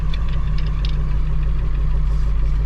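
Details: 2000 Ford F250 Super Duty 7.3 diesel, about 500,000 miles, morning start without working glow plugs after turbo rebuild: steady low diesel clatter at idle, even and unbroken with no misses or knocks; engine running fine.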